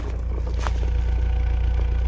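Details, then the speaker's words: BMW Z3 four-cylinder, sat about four years unstarted: steady, even low drone at idle with no misses or stumbles, running on all four cylinders. "running on all four cylinders it's like holy crap"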